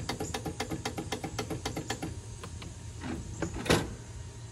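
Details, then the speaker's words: Rapid steady clicking with no cranking when the key is turned on a riding lawnmower. The clicking comes from a bad starter solenoid at the rear, and the engine can be started by crossing the solenoid posts with a screwdriver. "Your lawnmower's clicking when you wanna crank it. Won't do nothing to make that clicking noise. You can hear it back here clicking on the solenoid."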